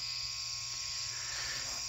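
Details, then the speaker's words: Loud, steady high-pitched electrical hum from the ballast of a 400 W high pressure sodium (HPS) Hubbell floodlight, owned about eight or nine months, running warm and hot; unlike the owner's other fixtures, its noise doesn't fade once warmed up. "you know this ballast is pretty noisy um most of my uh fixtures pretty much all of the fixtures once they warm up the noise goes away but this one really hums"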